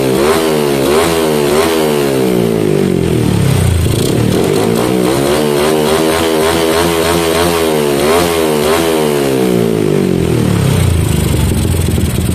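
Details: Yamaha Jupiter MX single with a PE28 carburetor, after carb setting for hard starting: crisp, even revs rise and fall cleanly with no stumble or pop; normal running and revving.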